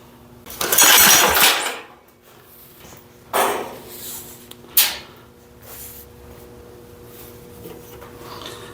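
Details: Abandoned rope-start Wisconsin engine: a few hard rope pulls, each giving a brief rough burst or pop that dies out; it tries to fire but won't keep running, carburetor suspected plugged.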